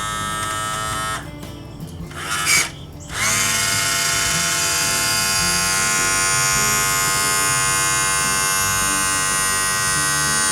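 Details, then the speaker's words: 1999 Champion bass boat with Mercury 200 EFI outboard, power tilt/trim after sitting overnight: pump gives a high, steady whine, cuts out, restarts and strains a little; low trim fluid suspected, no leaks seen. "so hear that where you hear the plane i mean you can almost hear the hydraulic fluid pushing through the line"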